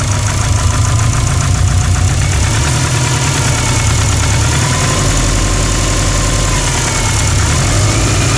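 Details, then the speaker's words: Subaru with a built WRX 2.1 block, EJ257 crank, JE forged pistons and GTX3076 turbo, idling at 800 rpm, oil about 80–83°C: hard rhythmic knocking in step with engine speed. Suspected 4th piston skirt slap, unconfirmed. "Мотор у меня предположительно, вчера ребята смотрели, предположительно застучал адски юбкой 4-го поршня, как у Тираныча после зимней обкатки."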